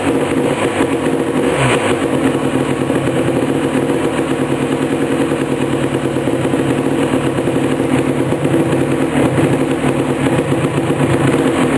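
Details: 1988 Suzuki LT250R two-stroke, first start after complete engine rebuild: buzzy, steady high idle with a crisp even note and no rattles; running normally.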